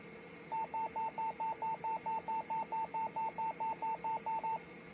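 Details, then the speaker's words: Compaq LTE Elite 4/50E laptop being restored, at startup before trying to boot Windows 95: a steady train of short high beeps, about two per second, like a low-key smoke alarm; cause unknown. "God, it sounds like a low-key smoke alarm."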